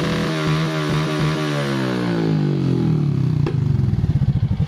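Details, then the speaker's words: Honda Supra X 125 motorcycle after correcting retarded cam timing (timing chain slipped): smooth, even engine note climbing cleanly with throttle, earlier misfire and valve noise gone; engine running normally. "jelas ya sahabat semua Nah itu juga suara di bagian klep juga langsung hilang Nah langsung halus ya suaranya"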